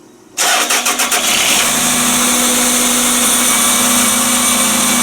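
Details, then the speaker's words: Toyota Estima, first start after repair of a knock the owner complained of; the intake was removed. Cranks a few times, catches cleanly and settles into a steady, smooth idle with no knocking or ticking. "так вроде бы все накинули все вроде вы подключили все нормально пробуем первый запуск"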